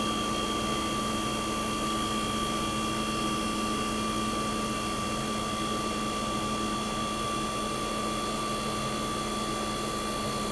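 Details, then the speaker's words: 1965 Fedders Weather Wheel 12000 BTU window air conditioner, first spring 2023 startup, fired right up: even steady fan whoosh with constant compressor hum, no knocks or rattles; suction line ice cold, output air ice cold. Running normally. "We're going to fire it up in 3, 2, 1. Fired right up."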